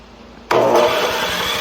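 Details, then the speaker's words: Neighbor's small snowblower, handed over as possibly locked up and described as dead with no start, is primed and started in neutral; it catches first try after silence and runs fast, steady and even. Normal start. "Okay, so it started. I'll give it to Pops over here. He got it first try."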